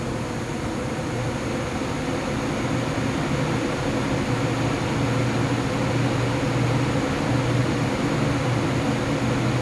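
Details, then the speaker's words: Lian-Li O11D Mini case with XPG Vento fans (replacing Arctic P12), microphone at case, fans ramping under Cinebench load: steady rushing air with a loud droning tonal howl at high rpm that drops when rpm falls. "now as you can hear the fan noise went up if i am to stop the semi bench right now i hope you can actually hear the hounding lines went down so when the rpm went down right it's not so noisy it's only when it actually ramped up there is a very loud howling noise"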